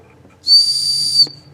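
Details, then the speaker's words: 2002 Chevrolet S-10 4.3 V6 with a P1345 cam/crank correlation code during distributor replacement: a compression whistle screwed into the number 1 spark plug hole gives a steady high whistle under a second as the piston rises on the compression stroke, locating top dead centre. "But if you're coming up on your compression stroke, you'll hear that you're developing compression, and then all you do is line up your timing mark with that V."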